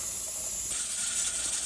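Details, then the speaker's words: Pressure canner processing chicken drumsticks at 15 psi for 75 minutes: steady airy hiss swelling as the weight vents and rattles in rotation, with no constant rattle. This is normal venting and the canner is holding pressure. "I want it to come up to pressure, release, and then go down to that normal hiss sound."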